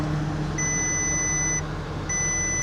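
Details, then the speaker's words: Used automatic, 127,000 miles, idling: two long high-pitched warning chimes with brake, TPMS, service, airbag and coolant temperature alerts; possible radiator or hose damage suspected, not confirmed. "Uh-oh, what's that sound? What's that sound? Light? TPMS, whatever that green thing is. Service now, error, brakes."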